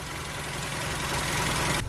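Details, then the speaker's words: Minicamper diesel in Morocco idling steadily with busy metallic rattle, louder outside, worsening over time; not drivetrain or suspension since it occurs at idle, owner suspects gearbox, engine or another part; cause unconfirmed. "es ist auf jeden fall nichts vom antrieb also nicht zum antrieb fahrwerk irgend sowas weil es ja hier einfach im standgas kommt eigentlich nur getriebe motor oder irgendwie anderen teilen frage was vor sich hin blubbert wird immer schlimmer"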